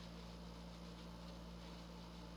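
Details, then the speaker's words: 1983 Gibson Slumbermaster 5900 BTU window air conditioner with rotary compressor, on low fan speed on a 90-degree day: low steady mains-pitched hum under soft airflow hiss; fan motor hum from worn thrust washers. "it cut it constantly hums loudly just like my 1973 fetters would do so uh somewhere along the line i got to take this whole unit apart and take the fan motor out and replace the thrust washer"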